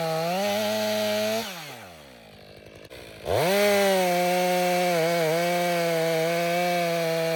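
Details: Stihl MS 500i chainsaw after sharpening the chain with a two-in-one file: high two-stroke whine dips under load through the cut and recovers cleanly; cutting well, better with that chain.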